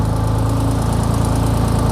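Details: 2004 Holden VZ Commodore 3.6 L V6 with a no-crank/no-start fault (suspected ECU failure) idles steadily and evenly after being started by bridging the relay pin; smooth low hum, regular firing, no knocks or misses.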